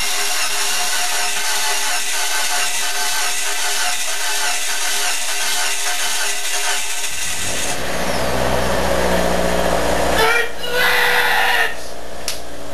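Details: 2005 Mitsubishi Lancer, first start after swap from 1.6 to 2.4 engine: fires, catches and settles into even steady idle with no knocking; some smoke, said to be normal.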